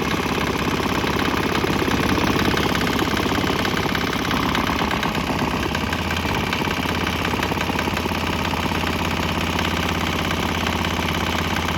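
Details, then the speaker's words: Swan X 165F Chinese single-cylinder diesel, crate-mounted, on used canola fryer oil: even steady regular chug with no knocks; slight tempo and exhaust change noted, possibly while transitioning to canola; normal running. "Notice a little change in tempo there. like the exhaust has changed flavors a little bit."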